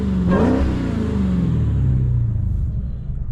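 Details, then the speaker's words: Dodge Challenger Hellcat with mid mufflers deleted, after an exhaust shop fixed a rattle/shake heard while driving: deep V8 rev climbs and falls back to smooth burble, no metallic rattle or buzz; normal exhaust note after repair. "she did it right got her figs she sounds good no more no more rattling no more shaking"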